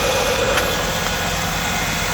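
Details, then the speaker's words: 1993 Ford F-150 with the 300 inline-6 petrol engine and 5-speed, 109,000 miles: a smooth, even idle with no ticking after tightening loose spark plugs that had been rattling against the block. "So yeah, my ticking is totally gone."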